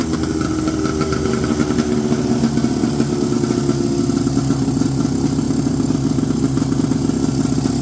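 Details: 1970 Polaris Mustang snowmobile two-stroke after loosening over-tight throttle cables and adjusting the idle screw: steady, even idle with no stumbles or surges; normal idle.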